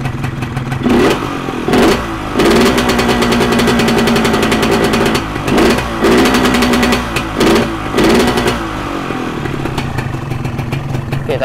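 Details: Modified Yamaha 125Z two-stroke: sharp throttle blips that hesitate and burble coming off idle, with weak low-rev pickup; the mixture is set too rich.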